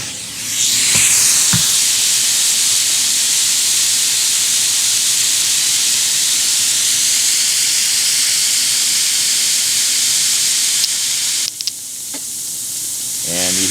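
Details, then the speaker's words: Ford 7.3 Powerstroke IPR (injection pressure regulator) removed and bench-tested with about 5 psi air: loud steady air hiss cuts off abruptly when 12 V applied, solenoid closing ICP path; regulator working normally. "hear it stop you can hear the air stop because the solenoid is floating closing off the uh icr path so just like that that's that's how we do her that's how we roll"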